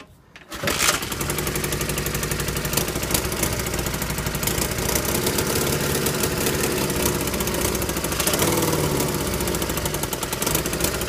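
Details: Honda CM200T, third start after engine rebuild: catches and settles into fast idle with a sharp puffing tick on each firing pulse from bad exhaust gaskets; exhaust leak.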